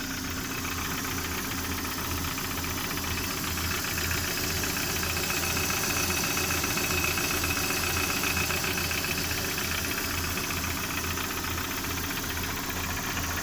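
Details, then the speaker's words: Lada Priora idling quietly with a regular light tapping, a couple of taps per second, under the engine hum; knock of undetermined cause, owner wonders if piston group, though engine doesn't burn oil and pulls well. "Застучал что-то у меня двигатель. Может, кто-нибудь знает, что это?"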